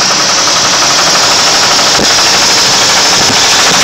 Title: 1999 Ford Lightning engine knock